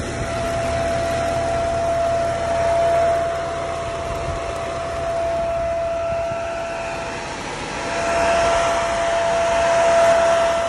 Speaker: I don't really know what that is I mean I don't leave alternator related in any way it sounds more like a cooling fan of some sort I haven't heard it on a Mercedes before